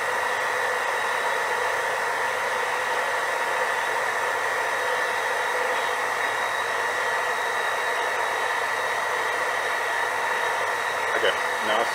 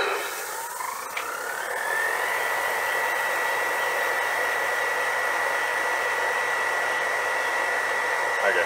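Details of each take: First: JoJo 1.5 kW variable speed drive booster pump, no flow: steady flat-out whir drawing 1.75 kW, never shuts down as it cannot reach set pressure. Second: JoJo 1.5 kW variable speed drive booster pump at high speed, around 5 bar for a single shower drawing about 1.45 kW: motor whine climbs smoothly then holds a steady high pitch, no roughness; healthy.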